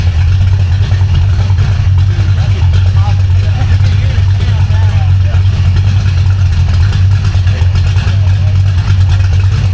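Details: V8 car with a B451 cam, fresh Spintech mufflers with turndowns after driveshaft damage; still warming up. Deep, loud, even burble with no knocks or misses. Normal idle.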